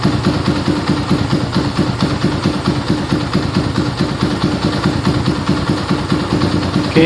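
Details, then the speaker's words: Yamaha Scorpio single-cylinder idling right after a full tune-up (valve adjustment, carburetor cleaning, new carb manifold, oil filter cleaning, oil change, chain adjustment): it starts at once and idles steady, smoother after the valve adjustment, air screw at about 1.5 turns; even putter, no misses. "setelah motor langsung nyala guys, setelah dibongkar tadi langsung menyala dan stasioner juga, settingan mudah. Bisa kita lihat di sini suara mesin lebih halus ya setelah kita setel klep tadi, dan juga untuk setelan anginnya kira-kira di 1,5 sama."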